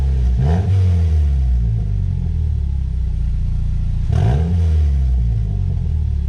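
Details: 2010 Mazda 6 GH, heard from the back of the car, briefly started with the exhaust removed during a bolt and seal kit job: loud, raw low rumble flaring into two sharp revs and settling back.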